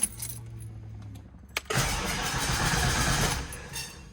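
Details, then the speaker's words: Foxbody Mustang cranking after oil change with fresh Castrol Edge 10W30, battery trickle-charged overnight after going dead: fast fairly even tick under cranking noise; source unclear, owner suspects starter or electrical arcing. "Ooh, that doesn't sound good. See, we hear that ticking again. That's kind of weird. I don't know what that is."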